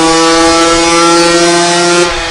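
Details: 2021 Gas Gas EC300 two-stroke on the dyno in a dented vs new stock pipe test: crisp, steady high-revving howl held evenly at full throttle, no misfire; dented pipe made 37.83 hp versus 41.18 hp with a new stock pipe.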